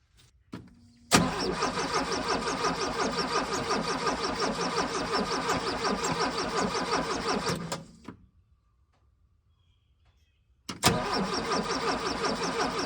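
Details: VW Vanagon broken down with a suspected failing fuel pump; owner also suspected the computer and swapped in one from a 1984 van. Starts and runs steadily a few seconds, then dies and must be recranked: stalling.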